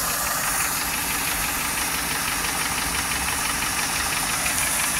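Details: 1995 Lincoln Mark VIII LSC, Ford 4.6 DOHC V8 at idle: steady tapping about ninety beats a minute; owner unsure whether lash adjuster tapping or piston slap/rod knock.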